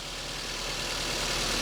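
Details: Petrol car engine idling steadily with a smooth, even hum and no knocks or squeals, during a starting and charging system test; alternator charging at 14.3–14.4 V, judged normal.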